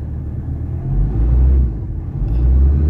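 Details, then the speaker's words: Ford Ranger 3.2 diesel with low power and no check engine light: deep, uneven idle rumble that swells and sags, and the whole engine and vehicle shake with abnormal running; heavy vibration, cause not yet confirmed. "Ang lakas nginig ko ah buong makina, buong unit nanginginig. So yun ang main problem dito. Tsaka hindi normal yung ah tawag diyan ng andar ng makina."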